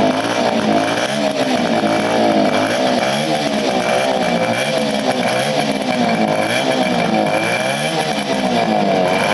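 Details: 1975 Motobécane Motoconfort 125 LT2 two-stroke, first start after restoration with new crankshaft and gearbox bearings, stored since late 1990s: crisp, even buzz rising and falling smoothly with throttle, no misses or knocks; normal running.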